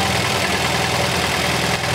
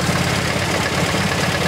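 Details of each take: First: MGB GT after fixing the Lumenition ignition module, cylinders 2 and 3 now firing: steady, slightly lumpy cam-style idle with even firing, no misses; normal idle. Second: MGB GT with Lumenition optocoupler electronic ignition at idle: lumpy idle with irregular dropped beats; strobe finds no spark flashes on cylinders 2 and 3; ignition misfire.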